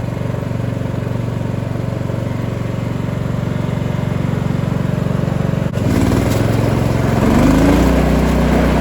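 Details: Cub Cadet 2146 lawn tractor, 14 hp single-cylinder Linamar engine, revived after 3 years sitting, idling to get hot before oil change: steady even single-cylinder chug, slight rise near end; normal idle.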